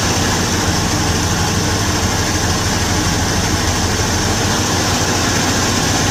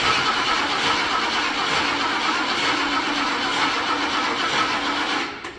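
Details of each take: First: Revived junkyard 1977 Ford Thunderbird V8, carbureted, with a leaking radiator, at an even, steady idle with no misses, knocks or ticks and some wind in the background, a smooth normal idle. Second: Revived junkyard 1977 Ford Thunderbird, carbureted, with a bad accelerator pump so the throttle is held, on a weak battery needing a boost; laboured, sluggish churning crank with no firing before it stops, slow cranking whose cause is suspected but not confirmed.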